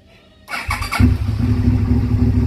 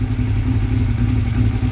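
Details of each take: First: Two-cylinder motorcycle: brief crank, fires on both cylinders within half a second and holds a smooth, even idle; normal start and idle. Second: Motorcycle on a cold start, first start of the day, idling low and uneven with a choppy beat as one cylinder cuts out; owner suspects a bad spark plug; misfire.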